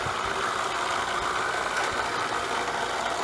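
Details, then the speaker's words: Intex 635T 1500 GPH pool pump after a quick temporary repair rigged from spare parts: runs and pumps steadily but with a harsh whirring hiss and faint rattle; noisier than it should be, cause unclear. "still a little on the noisy side but then again we kind of just rigged this thing together from the pieces we had"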